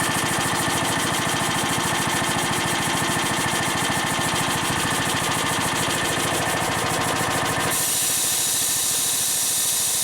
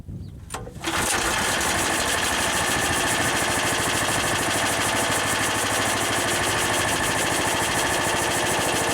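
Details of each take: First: Harbor Freight air compressor with replacement pump, starting automatically: rapid steady pumping thumps about three per second, then stop and a sharp hiss as the unloader vents air at cut-out; working normally. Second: Harbor Freight air compressor with newly installed, broken-in replacement pump: loud continuous hiss over fast, even pump chatter of unchanging pitch; unloader venting all the air so the tank isn't filling until pressure drops.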